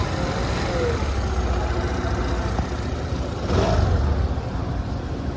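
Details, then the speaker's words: Suzuki Access BS6 scooter after the crankshaft with the noisy bearing was replaced by a new crank: a steady, even idle with a brief clean rev and no knock or rumble; normal running. "लगा अब ये new crank है। इसमें कोई भी sound नहीं है।"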